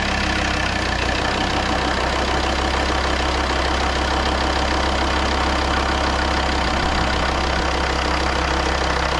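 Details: Volvo XC90 D5 diesel, first start after timing belt and water pump replacement and coolant refill: steady, even diesel clatter at idle with no misses, knocks or surging; sounds perfect. Normal idle.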